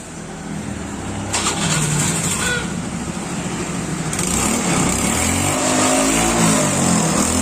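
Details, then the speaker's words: Honda Beat fuel-injected scooter that would not start and stalled on the road, after fuel pump repair: steady, even engine beat holding without hunting or misses, a settled, healthy idle; engine stable again. "Oke, motornya sudah stabil lagi."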